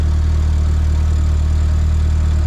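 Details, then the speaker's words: MK4 VW GTI 1.8T after welding a repaired big muffler exhaust with V-bands: deep, even idle hum with no puffing, ticking or rattle; exhaust sealed and quiet, though a small leak near the turbo is possible. "it should be quiet really quiet it's a big old muffler not leaking that makes me so happy"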